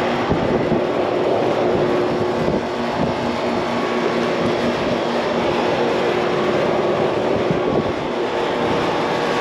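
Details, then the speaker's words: Outdoor AC condenser unit, about 15 years old, never serviced, still cooling well; loud steady whooshing roar with low hum at constant speed, recorded at the condenser; loud condenser fan noise, fan motor bearings suspected, around 80°F outside. "they say it does cool well just making a loud noise i think i hear myself might be that fan mode"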